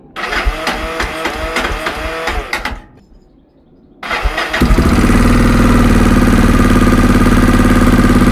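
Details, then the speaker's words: Yamaha XTZ660 3YF single after an oil and coolant change and carb removal, air box only mocked up: starter cranks briefly with a weak starter clutch, then the engine catches and settles into a strong, even thump with no misfire; healthy run. "OK, so as you can hear at the end of that little day's work, the engine starts! The starter clutch isn't working great, but the engine starts. And it's sounding really good, which is fantastic."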